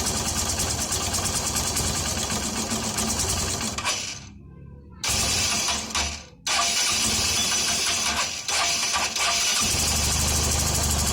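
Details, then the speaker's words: Hero Honda CBZ Extreme single-cylinder after a tappet (valve clearance) adjustment to fix valve-cover tapping: an even, steady idle with no tapping, noticeably smoother than before. "मैं हमेशा उत्सुक सकते हैं कि आवाज पहले से ज्यादा स्मूथ हो रही है उठा रही हो"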